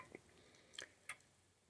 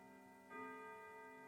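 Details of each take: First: Old grandfather clock during setup, pendulum has stopped a few times when not level: ticks about once a second but unevenly spaced, tick and tock not matching, so the clock is out of beat and needs beat adjustment. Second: Old grandfather clock after setup, with its weights taped together so they don't foul the pendulum: a clear bell stroke with a long, clean decay as it strikes nine correctly, the hour hand set right.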